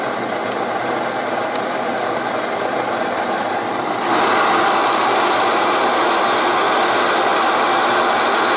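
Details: Primus Omni Fuel multi-fuel stove being lit, fuel valve fully open and burner valve opened slightly: steady hissing roar jumping louder about four seconds in as the valve opens; clean, healthy burner.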